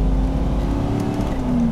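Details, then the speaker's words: Ford Bronco with 351 V8 and automatic transmission accelerating: engine pulls hard with a steady rising drone, then shifts smoothly into the next gear without hesitation; healthy engine and transmission. "Shifts really nice. Doesn't hesitate or anything."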